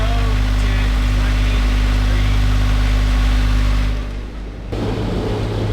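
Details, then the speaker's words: Boat diesel, whose engine had broken off its mount, motoring in gear: steady low drone with an even beat about four per second and no rough shudder; sounds normal now, vibration perhaps only in overdrive. "Sounds normal now. Maybe it was only when it was in overdrive."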